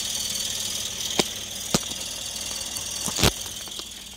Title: Chirping noise Yaris 2003